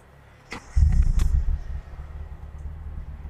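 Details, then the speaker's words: Car engine after the failed crankshaft pulley was repaired by welding and refitted along with the electric fan. Short crank, quick catch, low even idle with no knocking, wobble or thump; smooth as normal, the welded pulley spins centred. "dicoba ini ya untuk ee suara mesinnya halus seperti normal seperti biasanya padahal kondisi pulinya udah itu ya pulinya udah las-lasan"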